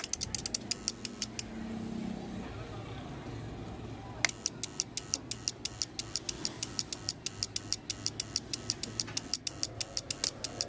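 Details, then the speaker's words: Universal voltage stabilizer under repair: sharp, rapid relay chattering about three clicks a second, caused by a loose solder joint on one relay pin. "पहले इसके relay-relay का एक point में losing है जिसकी वजह से यह रिलैक्स की आवाज कर रही है"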